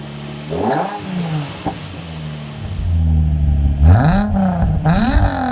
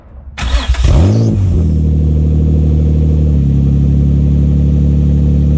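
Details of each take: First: After exhaust replacement to cure a known exhaust blow, engine blipped with mics under the car and in front; revs rise and fall cleanly with no rattles or leak chuffing, sounding way nicer: normal exhaust note. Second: Nissan 350Z started with the exhaust removed during a mid-pipe change (old mid-pipe had a blow): very loud, raw, deep unmuffled drone and booming blips, louder than expected; engine running with no exhaust fitted.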